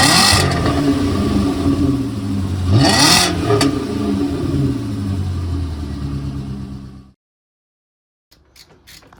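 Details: VW Passat W8 4.0L manual 4motion, freshly installed replacement engine (old one suspected of a failed big end), early run: revs up and settles to a smooth, even run before shutting off, no knock or misfire; normal engine run.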